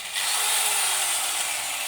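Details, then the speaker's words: Kikoki angle grinder (Hitachi-equivalent parts) tested after repair of a growling-then-dying fault: steady even high whir, no growl, stutter or brush sparking; spins up cleanly, repair successful. "ada saksikan bunga api dan halus suara mesinnya [Musik] bersih tidak ada percikan bunga api"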